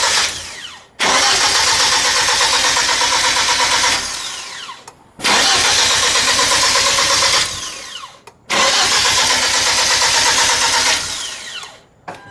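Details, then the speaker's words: Freshly built Hyundai Genesis Coupe turbo engine, first startup after install, fuel pump fuse pulled to build oil pressure: three steady, even cranking bursts about three seconds each, never catching; engine spins freely with no fuel. "We pulled the fuel pump fuse so it doesn't put fuel into the motor, so we can build oil pressure."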